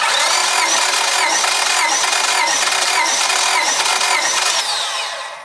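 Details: Honda Civic D16 with misfire, after timing belt repair, during compression test (about 180–195 psi across cylinders); steady starter cranking with an even rhythm of about four compression beats a second, healthy cylinder.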